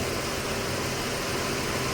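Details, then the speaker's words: Mercedes-Benz W204/W212 four-cylinder running on three, poor pickup: uneven stumbling idle with dull shake; fault code ignition coil actuation cylinder 4 circuit to ground; cylinder 4 misfire. "जो इसम फोल code आ रहा है the actuation of ignition coil चार number cylinder circuit to ground"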